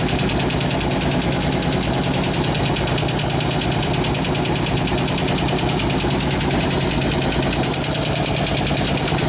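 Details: 2004 Harley-Davidson FLHT 88 Twin Cam after cam change and tensioner repair, fresh gas and new oil: lumpy V-twin idle with quick light lifter tick; new lifters, supplier says run 15–20 minutes and it should go away.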